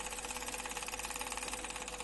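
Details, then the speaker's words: Hachette Lancaster B III model, stages 39–40, second propeller fitted on its working electric motor: a steady whir with a fast, even knocking chatter. The propeller is very loose on its shaft and may need a friction plate. "so we know the motor's working fine pop the propeller on there we go but you can hear it Knocking a little bit because it's"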